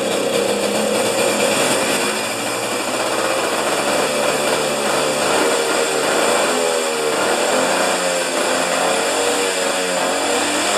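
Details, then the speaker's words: Husqvarna snow thrower started on choke after carburetor reinstalled during governor repair, about half a liter of fuel: buzzy note wavers and stumbles, running rough; owner thinks it's getting too much fuel. "well that's really disappointing what is happening it's getting too much fuel man this has been a challenge you guys"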